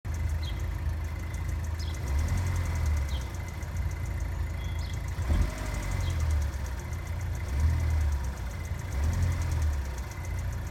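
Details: GM LNF petrol engine at cold start idling with a faint, fast tapping or ticking over a deep, uneven rumble; the tick goes away once the engine warms up.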